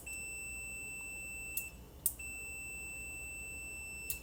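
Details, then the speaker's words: Relay from a neglected 2013 Honda CR-V AWD with overheating, bench-tested while diagnosing: crisp relay click each time power is applied over a steady meter beep, continuity on switch side; relay good. "I don't know if you guys could hear that that relay is clicking"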